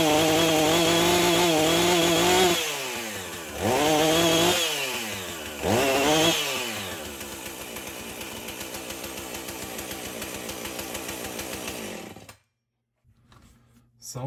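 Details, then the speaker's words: Husqvarna 450 two-stroke chainsaw after rebuild, new 50-gauge chain, full choke, NGK plug: surges, sags and bogs repeatedly before stalling; owner suspects the Hipa coil, tries a different spark plug first. "like either the hip of coil isn't any good but maybe we'll try a different spark plug first"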